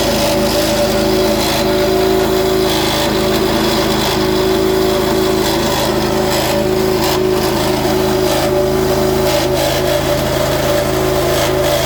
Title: Petrol Pressure Washer Back from Service making weird noise. HELP